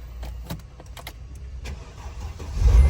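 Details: Car that previously would not crank or start, now repaired: it cranks briefly and catches cleanly, settling into a steady run with no hesitation; the fault was water inside the body control module.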